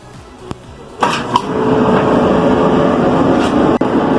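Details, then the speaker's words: Dryer after replacing the seized drum support pulley and cleaning and lubricating the other pulley: starts with a clunk, then an even, quiet hum with no squeal or thumping; the noise is gone. "Como pudimos escuchar, ya no está haciendo ruido."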